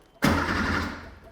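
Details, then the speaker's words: 1980s sports car barn find, undriven for 16 years, with a new battery; about a second of cranking that never catches and no fuel pump heard. The pump runs when wired directly, so it is a fuel pump relay or electrical fault, possibly mouse damage. "turning over okay yeah I'm not hearing the fuel pump one"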